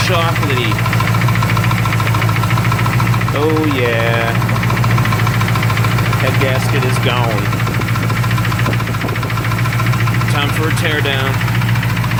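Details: Plymouth Duster 360 V8 at lumpy idle: steady knock about three or four per second; owner suspects head gasket failure or rod knock, coolant reportedly fine, cause undetermined.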